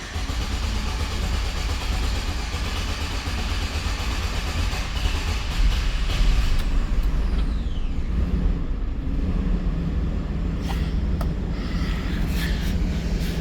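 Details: 2013 Chevrolet Express van, V6, in for a no-start/no-crank: after a really long crank the engine catches and settles into a steady, even idle with no knocks or stumbles.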